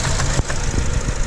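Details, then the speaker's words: 2004 Honda Accord 2.4L petrol at a rough, lumpy idle with a brief stumble as one cylinder drops out: an amp-clamp test on the coil power wire confirms a shorted ignition coil; the coil and spark plugs were replaced. "go to the screen as you can see here absolute telltale sign of a shorted coil"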